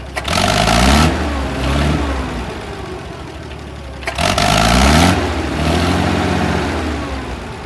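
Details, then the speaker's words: International 656 tractor, first start after carburetor cleaned with brushes and cleaner, float holding: revs rise then sag and surge unevenly instead of settling; engine stumble, owner may try a carburetor rebuild kit. "So there is a little bit of a stumbling issue. Maybe it'll clear itself up, maybe not."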